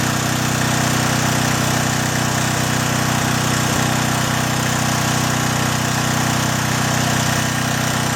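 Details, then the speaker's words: John Deere/Briggs & Stratton generator after carburetor cleaning, 1500 W load on left-hand outlet, high setting: engine loads down slightly but holds a steady even drone, no misses or knocks; normal running under load. "Now you'll hear the engine load down just a little bit. I'm going to try the high setting. Hear the engine load a little bit. It's 1500 watts."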